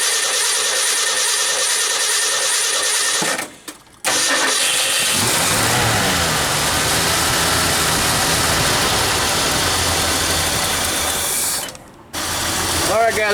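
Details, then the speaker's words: 1976 Ford F-250 V8 after Holley 6947 carburetor rebuild and new mechanical fuel pump: cranks, catches and settles into a fairly steady idle with some unevenness as it warms; vacuum check on the carburetor looking really good. "so I got the engine running and I plugged up most of all the vacuum and so I was doing a vacuum check on the carburetor right now and it's looking really good"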